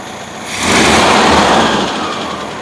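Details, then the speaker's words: 1971 VW Bus restarted after fixing a distributor advance that was not advancing: fires quickly, swells briefly, then settles into a steady idle without stumbling or popping; normal start and idle. "Like I said, watching that advance curve, it didn't sound right. That's better."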